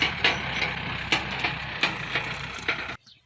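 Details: Running machine with sharp knocks about every half second from a loose upper boom pivot pin; the fix is adding washers to the pin.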